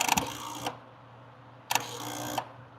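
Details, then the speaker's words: Vehicle cranking with key held: rapid buzzing chatter in two bursts, engine not catching; relay chattering, suspected bad relay, or poor ground or power supply; unconfirmed. "So, top guy here, and the way it's chattering, it sounds like a bad relay. But maybe it doesn't have a good ground, or maybe it doesn't have a great power supply."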